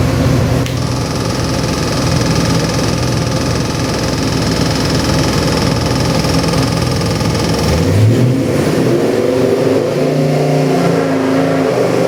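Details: Custom Ford 302 V8 crate engine on dyno for a '67 Mustang, Comp Cams hydraulic roller cam, Edelbrock heads, Holley 650 carb: steady deep idle, sharp blip near eight seconds, lumpy cam idle returns; strong, even, normal.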